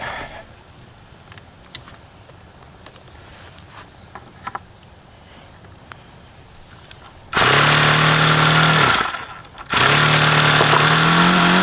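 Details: HP VT 21 rotary-valve four-stroke model engine, bought used and run about 25 times: screams at a high steady pitch, briefly sags, then climbs straight back up. It won't idle below roughly 4500 rpm however lean the low-speed needle is set.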